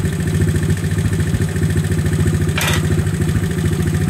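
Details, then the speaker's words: 1970 Honda CT70 Trail 70 single-cylinder after piston replacement, timing chain placement and carburetor adjustment: even quick putter at steady idle, about three beats a second, no knocks or rattles, no smoke or leaks. "sounded pretty good no smoke awesome awesome no leaks"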